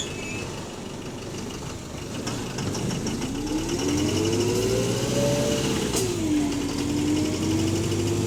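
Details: Alexander HV48 diesel bus on route 335: loud, fairly regular knock about four per second over the diesel while a motor whine rises and falls; suspected rod knock, cause unconfirmed.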